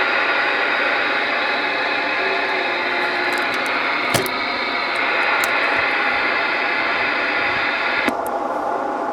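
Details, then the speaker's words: LC2547 CB radio with modification, no station on channel: steady even hiss with no crackle, a clean improved receiver noise floor. "hear that hissing noise I got the talling all the way down the White Noise the noise floor has been improved on this radio"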